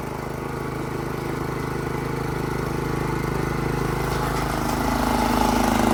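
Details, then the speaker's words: Honda GX160 on Workman 2 Multimixer cement mixer, being loaded; steady rapid single-cylinder beat holding firm and building slightly, no hunting; normal running under load. "well believe it or not this is like 10 minutes later and it still sounds pretty decent I'm going to put some water in here there to give it a sort of simulated load still running strong"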